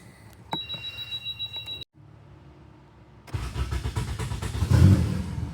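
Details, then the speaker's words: Turbo Honda Accord F23 that missed at idle and broke up entering VTEC now catches and settles into a steady, even idle after the bad coil pack was replaced; the fault had followed that coil when it was swapped between cylinders. "And just like that, it's fixed."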